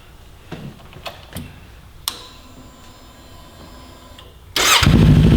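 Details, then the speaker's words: 2018–2023 Kawasaki Ninja 400 with an Akrapovic slip-on, quiet insert removed while the exhaust is hot: after a few clicks the twin fires and revs with a loud, deep, even bark and no misfire or rattle. Louder and deeper than with the insert. "There it is without the insert in now, and that's a lot different. What do you think? It's pretty nice, a lot better than with the insert, because it's obviously louder, a little bit deeper."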